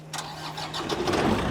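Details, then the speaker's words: Clicks, then the engine cranks and catches, rising smoothly into an even idle: a normal start of a 20k generator on an all-electric pressure-washing truck, switched on from outside the truck. It runs all the equipment without bogging. "So, when you get out of the truck, you hit a switch, it'll start clicking, and you can hear it when it cranks up."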